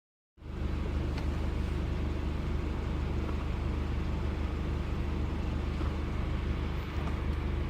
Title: misfires